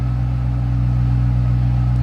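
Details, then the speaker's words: 2008 Ford Mustang Saleen S281, 4.6 L supercharged V8, 465 hp, 5-speed manual, parked: deep, steady low rumble with even unbroken beat, no knocks or whine; clean healthy idle. "Nice little rumble coming out of that 4.6 liter supercharged V8."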